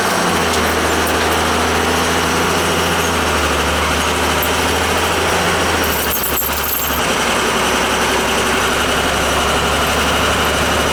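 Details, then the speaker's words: Old boiler after new burner motor fitted for a whining noise: steady, even roar with constant low hum and no whine or squeal; burner running quietly and healthy. "I mean I was easy enough to change around football to swap it put a new burner motor in there for now it's quiet here"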